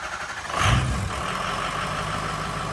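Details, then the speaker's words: 6.0 Powerstroke diesel after installation of a standpipe, STC and branch tube delete kit. At first start it settles into a steady idle that is slightly uneven because air is still in the high-pressure oil system. Rough idle from that air. "All right, James, get ready to crank it. It's going to run just a touch rough cuz it does have air in the system."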